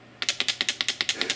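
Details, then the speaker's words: Soviet Jupiter-9 2/85 lens from the 1980s being shaken: a dozen sharp dry clicks in just over a second; owner suspects internal rings are loose between each other and plans to disassemble, grease and possibly tighten. "Вроде как там все в порядке, линзы на своих местах, но я так понимаю, что здесь болтаются кольца между собой."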